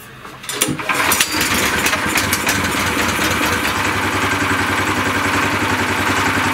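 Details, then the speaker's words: A Shtenli 1900 walk-behind tractor with reduction gear came in with a strange noise at start, traced to underfilled gearbox oil. With the engine refitted to the gearbox, in neutral, it starts quickly and runs with a steady, even chatter and no gearbox whine or clunks; normal. "Всё ровно заработал, ничего нигде, никаких посторонних звуков"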